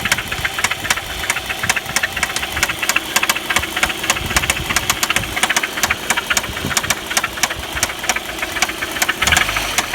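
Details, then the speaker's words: Audi 1.8T AEB engine at idle: sharp, unevenly spaced ticking about three to four per second; chain tensioner checked, tensioner and oil pump recently replaced, owner suspects hydraulic lifters, unconfirmed. "В общем, вот такая проблема у меня. Непонятно, стучит как-то двигатель."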